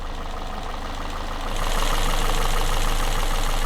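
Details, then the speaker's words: Citroen C3 after cylinder head rebuild with cam belt refitted, started first time: even idle with light regular top-end ticking about four a second, steady and smooth, no leaks; normal healthy idle after rebuild. "everything sounds good nothing's leaking I think we've done a good job"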